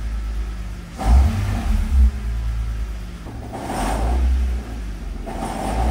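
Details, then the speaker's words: Manual car: deep rumbling revs with a gritty drone, heard in neutral clutch out, still present but largely gone with clutch in; owner suspects manual transmission rather than engine, not confirmed. "I really don't know when you do clutch it it goes away so that's why I don't think it's engine"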